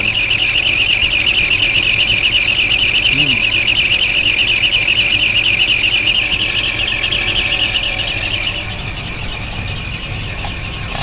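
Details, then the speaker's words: Chevy 283 V8 running warm: steady, piercing high squeal holding constant; owner suspects a pulley scrubbing against the side of the pump, not fatal and expected to stop eventually, source unconfirmed. "this uh pulley could be scrubbing up against the side of that pump which I've seen them do before but it's not fatal it's just be annoying till it stops"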